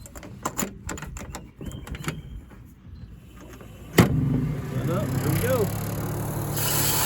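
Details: Texas Hunter fish feeder on 12 V after battery replacement, brief test run of the feed motor; quiet handling, then at four seconds a small motor starts and whirs steadily with a scattering rush of feed, running normally.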